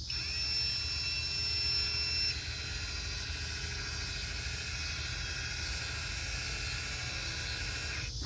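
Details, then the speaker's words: 2016–2022 Lexus RX 350 rear electric parking brake caliper motor powered directly from a 12 V jumper box for pad replacement: steady high-pitched whine for about eight seconds, cutting off cleanly at full retraction so the piston can be pushed back. Normal. "Okay, so the motor is rewinding. So we gotta go all the way to the end. Keep going, it's gonna stop."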